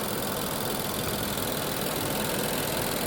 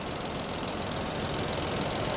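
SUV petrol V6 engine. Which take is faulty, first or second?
second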